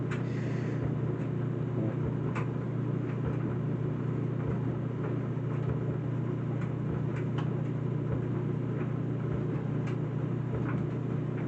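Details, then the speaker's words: Whirlpool Duet steam electric dryer WED9500TW on the Normal cycle with a load of colors: steady low motor hum with soft, irregular thumps from the tumbling load, no squeal or scrape. Clothes tumbling well; running fine. "So here are the clothes again. They seem to be tumbling well."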